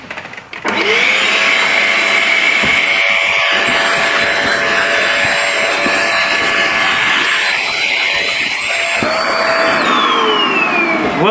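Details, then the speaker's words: Carpet and seat injector-extractor cleaner: steady high suction roar, then pitch shifts and a tone slides downward as the float closes, signalling the dirty-water recovery tank is full at maximum capacity. "ce bruit là ça veut dire que c'est plein alors capacité maxi ouais bon enfin parce que là ça me dit que c'est plein"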